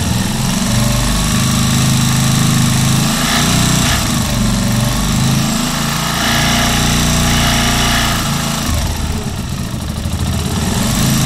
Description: Vídeo demonstrativo de barulho / vibração na Keeway Superlight 125